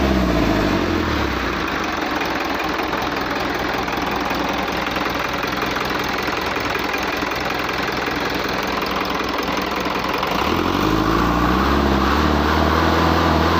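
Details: Hino truck diesel engine running with a fairly even knock, roughly three or four a second, that shifts as revs change; abnormal engine noise, cause not pinned down.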